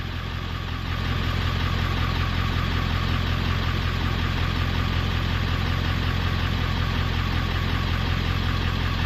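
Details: 1994-97 OBS Ford 7.3L Powerstroke after an electric fuel pump conversion, started on one crank with fuel pressure building to about 45 psi: a steady, even low diesel idle pulsing about 160 a minute, no knocks or misses. Healthy.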